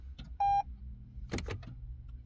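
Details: Toyota Camry electronic parking brake service mode: ignition on, brake pedal pressed, switch pulled up 3 and down 3 within 6 seconds; a single beep, then a short whirring burst as the rear brake motors cycle, indicator blinking, activation successful.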